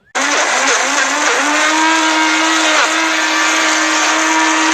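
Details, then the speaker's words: 2001 Buick LeSabre at about 30 mph: steady droning hum over tyre roar, worn wheel bearing, replaced with a hub-and-bearing assembly. "Now the reason you could tell this needs a new wheel bearing is because once it gets up to about 30 miles an hour, it makes this noise."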